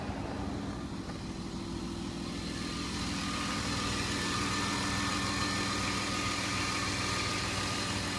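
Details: BMW E34 520i after adding Resurs Next additive: smooth, even idle with steady low hum and no hydraulic lifter tapping from top end; lifters quiet and healthy.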